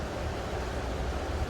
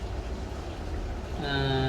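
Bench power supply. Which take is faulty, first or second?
first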